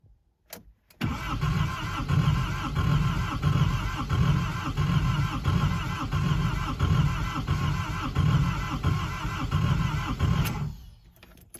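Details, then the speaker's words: 1983 Chevette diesel with new injection pump and replaced head gasket, unused six months, glow plugs held first: steady cranking with heavy compression beats for nine seconds, never fires; occasionally puffs; injection pump timing suspected. "That's about all it does. Sometimes it'll kick to life for a quick puff, but that's about it."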